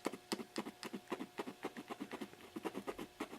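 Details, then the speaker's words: Old test-speaker driver used for restoring an organ tube amplifier: rapid scratchy, distorted bursts about four a second with no clean tone, from a blown loudspeaker driver. The other drivers work. "that one is gone the rest of them work"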